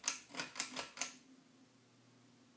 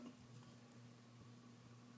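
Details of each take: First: Ceiling fan switched on with a few clicks, spinning up with a growing buzzy vibration. The cause is the loose light-cover glass held by a small screw, not the motor. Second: Ceiling fan running quietly with a soft, steady low hum, vibration basically gone after tightening the small screw securing the light glass; the vibration had reduced when the light was lifted.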